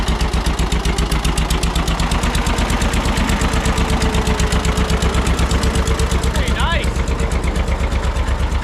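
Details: Barn-find John Deere 630 tractor, just started on first try at about half throttle with a little choke, good oil pressure. Lumpy idle with a sharp puffing tick on every firing pulse; exhaust manifold leak suspected.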